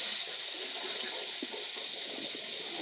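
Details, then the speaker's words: Hot-water heating system with a copper convector, circulating after replacing a freeze-damaged cast iron radiator: steady hiss with light sputtering as trapped air vents from the bleeder opened with a radiator key. "i got the heating system circulated running so it's going to circulate sounds like it's got gas"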